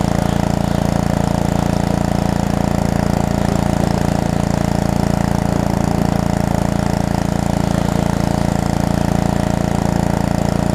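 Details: Pressure washer's small single-cylinder engine, from a $75 lot of used equipment, pumping water while washing. It holds a constant, even beat under load with no misses or surging. Running healthy.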